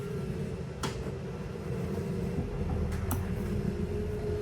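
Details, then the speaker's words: 2022 Mesa Ridge S-Lite 262RL rack-and-pinion slide-out retracting: steady, low, laboring motor hum without the usual end-of-travel click because not enough power is available; motor running slow. "This is a rack and pinion style slide out, so it's gonna make a clicking noise when it's fully extended and fully retracted. So that's gonna be your indicator to take your finger off of the button. Alright, this one, we don't have enough power really for it to make that clicking noise"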